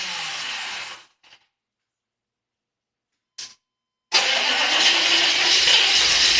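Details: 6.5 diesel turbo cranks but won't start: steady starter whirring over repeated tries with pauses between, no firing catches to run on.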